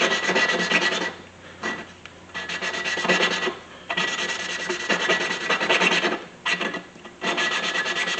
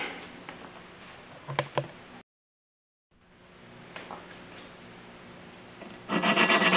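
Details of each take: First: 1999 Mustang 3.8L V6 head, valve lapping to fix leaky valves and low compression: rhythmic back-and-forth rasping of lapping paste, gritty at first and then smoother and quieter as the valve beds into its seat. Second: Valve being hand-lapped in the cylinder head of a 1999 Mustang 3.8L V6 to cure leaky valves and low compression: rough, gritty rasping strokes, about three a second, the seat not yet mating cleanly.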